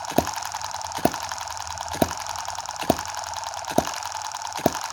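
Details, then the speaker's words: M17 tiny Chinese 4-stroke gas hit-and-miss model engine after reducing play with superglue; crisp single clicks about once a second, evenly spaced, as it fires slowly on a slow hit-and-miss cycle and runs normally. "I mean jeez I've actually even surprised myself that's just running so beautifully let's zoom out you hear that beautiful little clicking noise"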